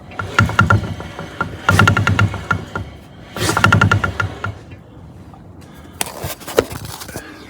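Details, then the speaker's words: Ford BA Falcon in park, one rear wheel held while the other is hand-spun, camera on the subframe: rough grinding clatter fading as the wheel slows; differential worn out. "If you hold one wheel, spin the other, you get an almighty racket from that Diff."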